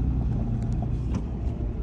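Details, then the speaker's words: 2003–2007 Cummins third-gen common-rail diesel on a test drive after fixing low rail pressure with temporary wiring; steady low drone with even pull and no misses, holding rail pressure, some wind noise. "it's already looking a lot better we're holding rail pressure"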